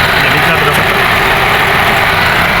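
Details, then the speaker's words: VAZ 2114 with radiator fan that had not worked, after new sensor and connector; fault traced to a wire: loud, steady airy whoosh over warm idle, no cutting in and out; fan now running properly. "Вентилятор жұмыс жасады. Причина мына проводтан."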